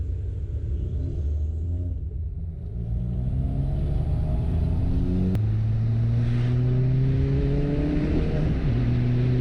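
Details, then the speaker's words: Ford Fiesta ST, accelerating: revs climb, then past 4000 rpm sharp cracks and a stumbling beat; misfire stops it revving higher, cause not confirmed. "Cada vez que el carro va a pasar más allá de las 4000, de una empiezan a hacerse esas explosiones en el motor y no me deja pasar más allá."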